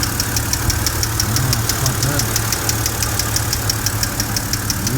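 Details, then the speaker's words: BMW N52 petrol idling with a sharp light tick about three times a second: hydraulic lifter tick still present after the first attempt; heavy revving later made it go quiet. "but i'm gonna walk to the engine and we're gonna go and see if this lifter noise is gone okay let's go and see nope it hasn't gone it's still lit so that hasn't worked it hasn't worked at all"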